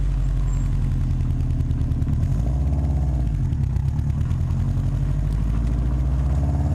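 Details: Subaru WRX at rough, rumbling idle with an uneven puffing flutter and turbulence: exhaust leaking at the downpipe flange, recorded before a downpipe-to-cat-back flange adapter was fitted to fix it.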